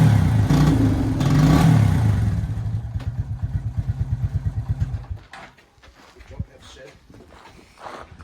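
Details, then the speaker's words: Suzuki Quad Runner 250 quad bike: revs climb, then it stumbles into slow, uneven chuffs and dies, feeling like a blocked carb jet or faulty coil but it isn't. Bogging under throttle from an overcharging rectifier, to be checked with a multimeter at the battery. "Go to rev it, and it breaks down. Revs for a little bit sometimes, and then breaks down. Just like a blocked carby jet, faulty coil, but it's not that."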